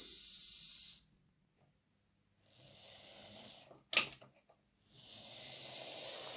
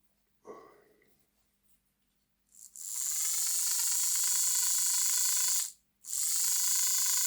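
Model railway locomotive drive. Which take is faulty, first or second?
second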